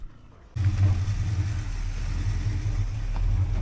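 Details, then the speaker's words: Mopar Forward Look car test drive above the speed limit after rebuilding the driveshaft trunnion joint with its torn boot: steady cabin rumble building smoothly with speed, no shake or vibration; driveline smooth. "all right Lonnie how is it oh fantastic no shake no vibration Shake no vibration nothing unto uh I took it up to indicated uh plus the speed limit uh but nothing nothing yeah perfect ran great awesome super excited man"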